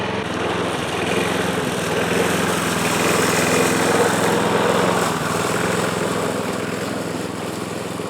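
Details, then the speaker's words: Yard Machine mower engine reading about 60 psi compression with oil squirted in, judged shot: uneven stumbling running with surging level, smoke from added oil; low compression. "well so I'll show you guys what this thing's doing and I'll give you guys a little bit of a mow too but just ain't running right"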